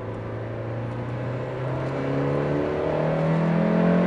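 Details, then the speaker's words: 1989 Toyota MR2 after new OE replacement exhaust replaced old leaky raspy one, slight flex pipe leak remaining: smooth even note climbing with revs, no rasp or popping; normal exhaust note. "all right yeah that main pipe theme but sounds way better now"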